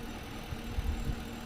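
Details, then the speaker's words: Completely stock Caprice with 112,000 miles, idling. Low, steady rumble with an even beat and no stumbles or misses; owner says it runs great. Normal idle. "It runs great."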